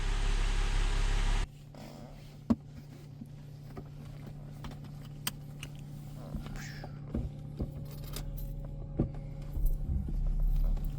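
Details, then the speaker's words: 2007 Mercedes E350, after $800 purchase with engine knock and full engine rebuild, idling during warm-up: steady, even, smooth low hum with no knocking or smoke; normal idle. "Sounds pretty freaking good. Also, no smoke. >> I hear that it's not knocking."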